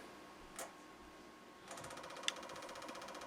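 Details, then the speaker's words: Spoolie Boi open-loop 6-stage boost controller stepping up through stages 2 to 5 in boost-by-input mode: quiet room, then rapid, even ticking chatter from the boost solenoid, audibly changing with each stage; normal solenoid operation. "way you can hear it audibly changed. Out of stage 2, stage 3, 4, 5, and on."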